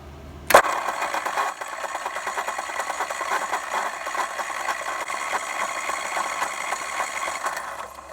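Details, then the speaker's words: OMC single-cylinder engine on a vintage Capri golf cart found stuck in a barn, after a mouse nest was blown out and the starter drive lubed: a sharp click, then a steady fast whirr with a light rattle as the starter spins the engine over without it catching. "okay we got all the mouse junk blown out let's lube up that starter drive okay here we go see if we get a spin"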